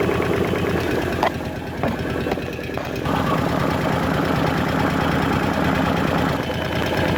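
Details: Kawasaki KVF 750 Brute Force ATV V-twin: light fast ticking over an uneven idle, following engine speed, from the top end of the engine, cause unknown; top-end ticking.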